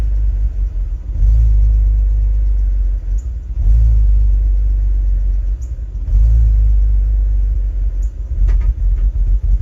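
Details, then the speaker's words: BMW E46 330Ci bought at an impound auction, after fuel priming. Low, lumpy running that stumbles and takes no throttle even when floored; the fuel pump is doubted and bad gas is possible. "no still running like [Music] poopy not taking any throttle either"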